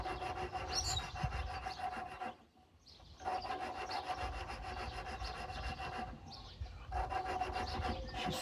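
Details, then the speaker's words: Wisconsin THD engine on 1950s Lincoln welder, valve lapping by hand with grinding compound: gritty rasping strokes turning finer and smoother with each pass as the valve seats evenly. "Oh yeah, I can hear it. It's getting finer and finer. At first you'll hear it, it's just grind, grind, grind, grind, and then it gets nice and smooth."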